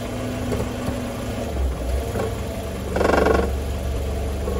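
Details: 1993 Mercedes W202 C180 idling in gear with a tinny metallic rattle from underneath, worst in a brief burst midway: loose catalytic converter heat shield.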